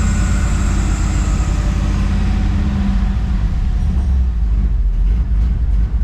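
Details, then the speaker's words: 1964 Chevy driving after 4L80E transmission swap, with flex plate replaced and shimmed after a bad factory one: steady, even low drone, no screech or grinding, 100 times better; normal running. "let me go ahead and start this thing up again 100 times better now"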